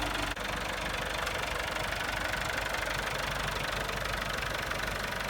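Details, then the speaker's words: 1964 Massey Ferguson 65 diesel tractor just revived, rolling along with high-low selector in S: even, steady diesel clatter under load, no misfire or knock; healthy, before fluid change. "we got her running we know she's a good tractor"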